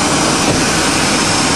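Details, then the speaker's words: 1990 Chevy 350 petrol truck, running again after being fuelled with diesel, revs held constant to flush, still blowing smoke rings with a couple of cylinders missing: loud, steady engine roar that sounds healthy; normal running. "motor sounds good real good sound and motor for all those kilometers"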